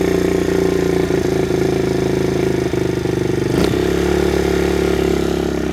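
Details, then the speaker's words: Kawasaki KLX110 pit bike being tuned: small single thumping at a raised idle with one brief blip, revs staying up; hanging idle, fixed by adjusting fuel screw (about 1.5 turns out) and idle screw. "Got a bit of a hanging idle. There we go. Just a couple little adjustments on the fuel screw and idle screw."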